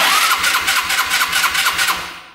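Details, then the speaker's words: Yerf Dog Scout 4x2 UTV abandoned about four years outdoors: starter cranks steadily, about seven even pulses a second, never fires; fuel pump stopped delivering after filters clogged, owner may need to prime it. "it's not getting gas it was at first the filters clogged up so our gas pump stopped working now it's not shooting out"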